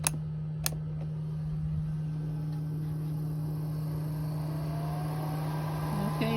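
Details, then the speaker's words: Kalori diesel heater blower in a Ram ProMaster 3500 van, after fixing it: smooth, steady low hum, even pitch, no rubbing or rattle; airflow slows almost to a stop when switched off; normal blower operation. "Okay, so I got my Kalori blower working now. So if I turn it off, the air slows down to almost to a stop. A little teeny bit of air comes out."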